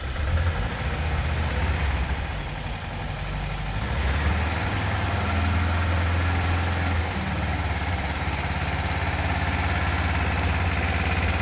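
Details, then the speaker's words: Fuel-injected air-cooled 1977 VW Beetle engine, first start after a top-end rebuild that fixed loose head bolts, missing cooling tins and seized rings. Steady low chuffing idle with an even beat, no knocks, misfires or smoke. "so it started up really nice there was no smoke there was no noises"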